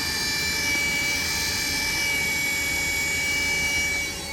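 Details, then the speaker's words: Takagi tankless water heater running after surge protector replacement: loud, steady airy whine with sharp high tones holding even; the inducer blower is wheezing, apparently something hitting the blower wheel. "I like that wheezing sound though don't like that sound"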